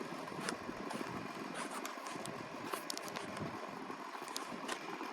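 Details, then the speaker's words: Inverted customized Pelonis table fan running on high: steady whir with an uneven light rattle and ticking from the loose badge buzzing against the housing; loose badge rattle. "so here is on high and that sound is cuz the badge is is loose you can hear it [Applause] rattling"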